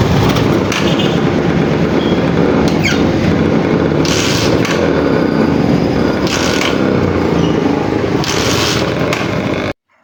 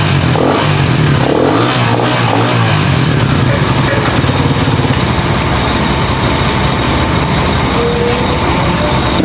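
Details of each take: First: Motorcycle with primary-type stator and 4-pin CDI: repeated loud cranking bursts every couple of seconds that never fire into idle; hard starting, owner suspects a burnt primary coil, to be tested before CDI conversion. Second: Pantra-type single-cylinder motorcycle, formerly very hard starting, after converting to a Lihua 4-pin CDI on a primary-type stator: brief rev, then steady run with no misses or popping; firing clean and starts easily now.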